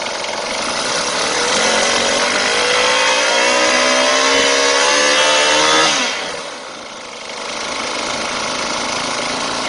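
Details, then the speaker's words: Chainsaw left with the choke closed after starting, air path shut so the mixture runs too rich: high buzzing two-stroke holds speed for several seconds, then sags and dies without power. Stalling from closed choke. "Vì cuộn cảm không được hạ xuống, động cơ bắt đầu tắt mà không có điện."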